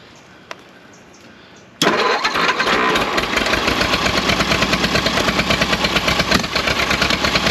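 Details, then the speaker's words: 1929 Ford Model A Doodlebug revived after years sitting, choked, timing backed down: catches near two seconds and settles into a fast, slightly rough chatter; running, though carburetor adjustment and timing still needed. "all right she is running"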